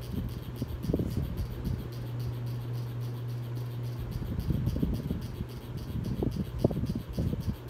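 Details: 42-inch Hampton Bay Landmark III Plus ceiling fan, installed around 2011, at high speed; steady hum with uneven knocking and rattling as it runs loud and wobbles.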